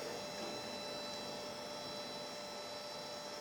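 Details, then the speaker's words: Old beige desktop computer at first power-on: steady airy whir with a thin high whine on top from a small case fan running rough and noisy; machine boots, CMOS battery dead. "I hear a bad fan. Holy crap, it works."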